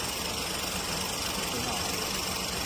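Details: Ford EcoSport after repair: timing re-set after it had jumped, causing black smoke, and turbo replaced; now a steady, even, quiet idle hum under a hiss with no knocks, misses or rattles.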